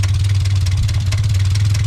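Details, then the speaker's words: $700 Mazda Miata with straight-pipe exhaust at idle after a new thermostat housing: loud open-exhaust rumble with a deep, steady knock about eight times a second; rod knock. "god it's got so much rod and it's so straight pipes oh my god oh my god it looks bad but that's a rod box for sure"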